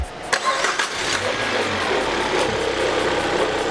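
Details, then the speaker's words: Peugeot 308 at 30,000 km, cold-start engine noise traced to incorrect timing belt tension, after a new timing belt kit and tensioner are fitted: petrol engine cranks, catches and settles into a steady, even idle with no rubbing or scraping. "funcionando perfeitamente então correr e ter aqui agora a gente vai montar a parte da capa aqui da correia dentada"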